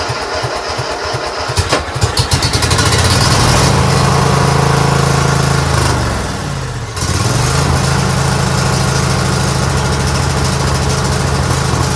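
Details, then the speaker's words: Craftsman GT6000 garden/snow plow tractor at 26°F, cold start: engine catches, revs, sags nearly to stall then recovers to uneven idle; runs well only at full to 3/4 choke, stalls past half, as gas sat in carburetor all year without a fuel shutoff, gumming it. "It runs only good when you're at full choke and then 3/4 choke. If you do it any more than half, it wants to stall. Which means that because I didn't put a fuel shutoff on here last year, I let gas sit in the carburetor all year in the carburetor."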